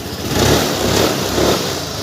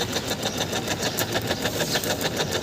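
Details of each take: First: Suzuki Access 125 scooter, after replacing weak battery that caused ticking on electric start: fires straight up and idles steadily with no ticking, running fine. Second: Suzuki Access 125 scooter, self-start pressed: rapid dry ticking about seven a second with no cranking; horn, indicators, lights and charging work, starter circuit clicks but engine won't turn over, cause not confirmed.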